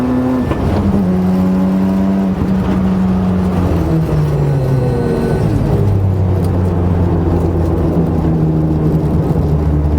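A tonal drone rises and falls with road speed under the engine note through the drive: abnormal transmission noise, cause not pinned down.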